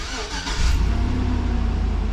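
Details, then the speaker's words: Test start after fuel pump work, before sealing the access: the fuel pump is heard cycling, then a short crank catches cleanly into an even, steady idle. Normal start. "Well, I hear the fuel pump cycle. You know, let's get a little fuel up to her so she wants to fire up."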